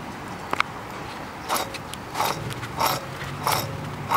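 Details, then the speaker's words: 1995 Jeep Wrangler front left wheel bearing, noisy for about a month: a rough scraping grind in bursts about one and a half times a second as the hub turns, from the failed bearing. "yeah this was causing my [Applause] noise"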